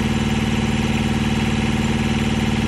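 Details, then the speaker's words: Mack truck APU diesel after coolant leak fix, newly purchased truck: steady even idle with regular firing pulses, no knocks, misses or hunting, pumping sound newly heard, running buttery smooth; normal idle. "running buttery smooth huh my goodness"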